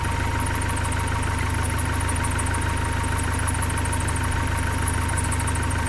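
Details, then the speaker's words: 1972 Datsun 510, L20B engine, after alternator replacement and idle adjustment: steady even idle with smooth low beat, no misses, stated very stable; before fuel mixture adjustment. "now we're at 5:37 like 70 [Applause] 7:53 it's very stable"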